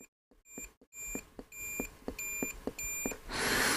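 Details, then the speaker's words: Sony ICF-SW100 radio repair, multimeter continuity test on SMD tactile switches: string of short clean high beeps, one per press; previously suspect switch now closing properly, corroded execute button later suspected as the faulty one. "hmm it does seem to be working now SSP let's check that one"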